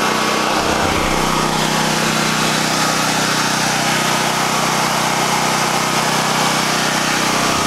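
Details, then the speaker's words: Harbor Freight Predator 9000 W generator just after startup, mic close: loud, even buzzing drone with steady pitch and no misses or rattles, quieter than expected; running normally. "that is unbelievably quieter than I thought I thought it would be twice that loud"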